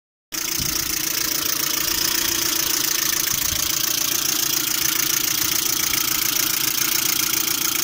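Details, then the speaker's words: Lada Priora engine, knocking both cold and hot, overheating nearly to red while driving; steady idle with light regular tapping, three to four per second, seemingly from timing-belt side; owner doubts lifters, suspects water pump, unconfirmed. "Звук со стороны вот ремня ГРМ, по-моему, выходит. Ну, на гидрике похоже, не похоже так."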